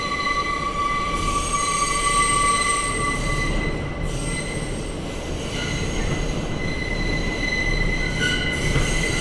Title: The Abhorrent Screeching Noise that is this Tunnel